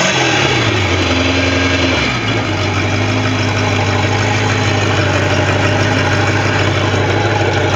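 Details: Bayliner boat engine with a bad starter drops from a brief rev to an even, steady idle with no knocks or misses; it runs fine.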